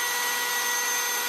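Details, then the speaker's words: 351 Cleveland oiling system demo driven by drill: a lifter removed creates an extreme leak between oil pump and pressure gauge, oil pours out, gauge reads zero; drill whines high, steady and free-spinning, unloaded, no oil pressure. "And this is going to demonstrate what a leak between the oil pump and the pressure gauge actually does. As you can see, I got a bunch of oil here. We got nothing on the pressure"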